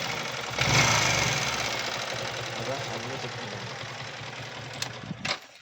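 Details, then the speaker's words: Yamaha R15 V3 BS6 bike at about 8000 km: busy metallic ticking from the engine head, roughly two or three a second, over the idle; worn rocker arm with loose valve clearance, fixed by rocker arm change and clearance adjustment. "நம்ம bike r15 v3 ல earth 8000 km தான் ஓட்டிருக்கோம் அதுக்குள்ள வந்து பார்த்தோம்னா இன்ஜின்லயும் engine ஹெட்ல வந்து ரொம்ப noise வருது"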